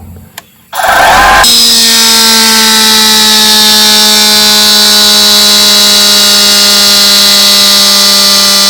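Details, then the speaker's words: Metabo HPT cordless compressor, no hose connected, filling to about 100 psi or less: loud steady hiss with a whistling tone as the relief valve pops out on its own and vents air early. "But watch, as it gets full, this pops out by itself and loses air."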